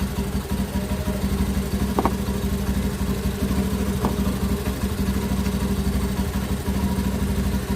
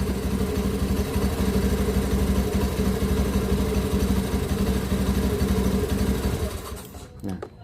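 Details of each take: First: Honda Beat ESP injected scooter after fixing a stalling fault traced to the 5-pin starter/charging relay: with a battery cable disconnected it idles smooth and even, about three beats a second with no misses; charging is normal. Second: 2016 Honda Beat ESP injected scooter that kept stalling: with a battery cable disconnected, the even single-cylinder idle of about three thumps a second dies within a second, showing the charging system is faulty.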